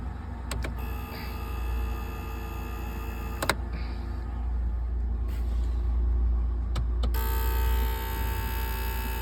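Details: 2003 Lincoln Town Car: steady electrical-sounding buzz with a deep hum underneath and a few sharp clicks; cause unknown.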